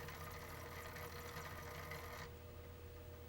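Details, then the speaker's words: Original PlayStation 1 (SCPH-900x phat) after laser replacement: busy rattling chatter about four clicks a second, then quieter, as the disc drive struggles to read an audio disc; drive still loud and skipping but disc recognised and playing. "Yeah, so it's still a bit loud."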